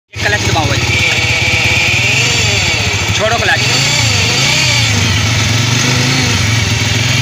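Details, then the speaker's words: 100cc motorcycle engine idling while the clutch is pressed; the noise starts when the clutch is pressed. Loud steady idle with an added humming drone and wavering whine; points to a worn clutch-side bearing. "Clutch दबाओ छोड़ो छ दबाओ ये दोस्तों इस तरीके से इसमें आवाज है मेरे दोस्तों जैसे ही हम क्लच को प्रेस करते हैं तो आवाज गूंज हमारी शुरू हो जाती है"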